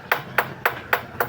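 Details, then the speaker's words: Suzuki DA64W/DA64V/DA17W/DA17V aircon compressor magnetic (damper) clutch plate, tapped by hand: five sharp taps, about four a second, each with a thin tinny buzz rather than the solid sound of a good surplus plate. Loose rivets cause the compressor noise; the compressor also has black oil. "So itong mga bilog na 'to, itong ribet yan yung lumuluwag kaya nag-iingay yung ah compressor."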